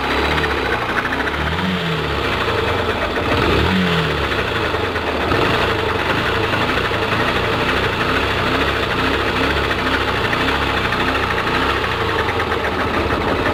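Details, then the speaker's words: Yamaha Factor ED motorcycle just after its 12,000 km dealer service, with valve tapping before, idles with a fast, even metallic knock; the rider wonders if it is the cam chain, unconfirmed; engine knocking noise. "Agora não sei que barulho é esse. Olha só, eu não entendo nada de motor, não sei se é corrente de comando, como falam, se é isso, se não é."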